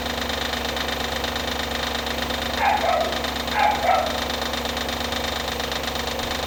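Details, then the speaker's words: Audi A8 D2 with the ABZ 4.2 engine at idle, drive belt removed for diagnosis: a light, fast knocking rattle, with a dog barking briefly. The whole front timing cover was loose with a bolt missing from earlier work; fixed with thread sealant. "Болтается. Вся передняя крышка. В общем, посадил я все на резьбовый герметик и посмотрел на видео."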